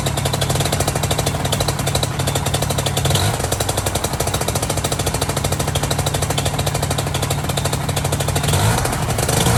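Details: Two-stroke engine after replacing the complete prop pulley assembly and tensioning the belt to about 17–18 lb. It drones at a steady fast beat with a smooth, even pulse and no knocking or slapping. Normal running.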